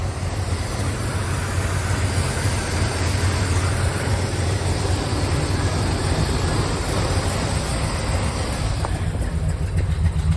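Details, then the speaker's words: 1971 Buick Riviera 455 V8 with carburetor, heard from the rear exhaust: big V8 idle with a lumpy, uneven beat and dropped pulses breaking the rhythm; definitely missing on a cylinder, engine to be replaced with a 60k one; cause not confirmed. "so there she is it does run it's just not it's not perfect as you can hear back here it's looking pretty bad so she's definitely definitely missing"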